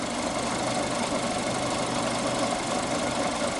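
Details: 2012 Fiat Uno Fire at idle after timing correctly re-synchronised, warm at 94°C, battery 13.4 V, intake 33°C, throttle 1°; steady even idle hum with no stumble or knock, engine now healthy.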